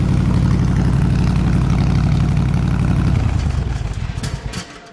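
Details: 302 V8 air-compressor engine, warm at 160 degrees with 9 psi fuel pressure, on re-ended plug wires: deep, even rumble holding steady, then winding down smoothly at shutoff; running clean and healthy.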